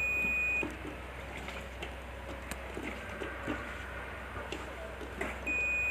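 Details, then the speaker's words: Apache stator coil rewound with thicker wire and extra turns: a continuity tester between winding and stator core beeps steadily twice when it should stay silent, so the winding is shorted to ground; coils will be removed one by one to find it. "ये आवाज़ नहीं आना चाहिए। तो ये shorting है, इसको अपन ठीक करेंगे।"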